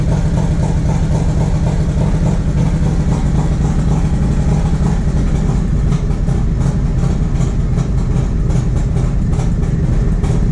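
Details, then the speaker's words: 1994 Harley-Davidson Road King FLHR, original 80" EVO, CV40 carb, Screamin Eagle air cleaner and 2:1 exhaust, after the carb fix: deep, steady loping V-twin beat with a few faint exhaust pops, healthy running without sputtering. "we're just gonna probably go one step up from there and then I bet that'll solve the problem so we can fire it up and show you guys what it's supposed to sound like"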